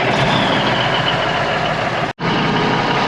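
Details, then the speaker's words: Old Ford water truck being repaired for fire season, diesel running after air leaks fixed and a leaking shifter knob stopped: steady loud diesel with fast busy chatter on top as the compressor builds air pressure normally. "she is building air pressure that's a good sign man"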